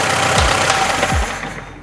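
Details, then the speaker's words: Engine started with small screws dropped into a cylinder through the spark plug hole; harsh metallic knocking as it catches, engine shut off quickly without revving; foreign-object knock in cylinder. "маленькие вот эти веселые винтики начали делать свое дело слышали стук в двигателе поэтому мы его прям заглушили"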